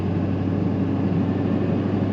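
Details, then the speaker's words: Duramax 6.6 diesel pickup after exhaust manifold and four-way radiator hose repair, power-braked: deep steady drone with turbo spooling, no hiss or whistle; no boost leak heard. "I hear the turbo going to work [Music] I don't hear a boost leak"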